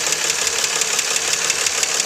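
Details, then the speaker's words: 2004 Nissan Maxima 3.5 VQ, warm after an hour's running, hood open, fans off: a sharp, regular tick at idle. Timing chains and tensioners were replaced three weeks earlier; the owner suspects lifter or valve tap in the upper valve train. "that's the sound I'm getting at idle the car's warmed it's been run uh for an hour or so now"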